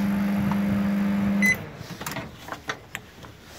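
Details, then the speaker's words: Panasonic microwave that runs but does not heat: a steady low hum for about 1.5 s, then a beep. Diode, transformer and capacitor are fine and power reaches the tube, but water stays cold; the magnetron is dead and needs replacement. "но слышен специфический гул, как будто магнетрон работает, но, вероятно, не нагревается."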